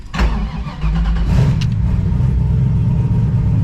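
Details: Engine start after repairing a $7 part that caused stranding, fuel pressure about 46 then 41 psi; brief crank, catches cleanly, settles into smooth steady idle with no misfire or stumble: healthy start.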